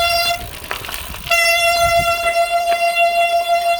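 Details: Shimano Ultegra road bicycle disc brake gives a loud, piercing, steady squeal as it is applied.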